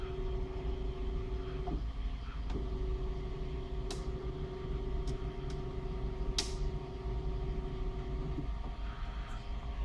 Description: Does anyone know what could be causing this clicking noise?